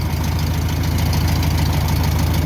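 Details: 1962 VW Bus air-cooled single-port engine, possibly a 1500, started after power loss and smoking on a trip (spark plug wire suspected off): steady low even chuffing idle, no misses, no smoke; running well.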